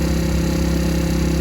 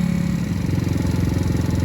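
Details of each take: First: Recovered stolen moped just after first-kick cold start at about 42°F; steady buzzy two-stroke idle, even firing, no knocks or rattles; smoke from exhaust owner thinks is due to cold; running smoothly. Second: Recovered stolen moped, kick-started cold at about 42°F with smoke from the exhaust: a single-cylinder putter with an uneven beat that lumps and surges as if about to stall; rough running.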